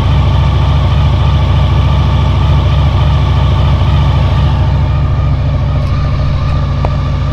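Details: 2000 Honda VFR800, injected, first start after 6 months standing on old fuel. Low, loping, lumpy idle of about 200 beats a minute. One cylinder is dead with its exhaust pipe cold.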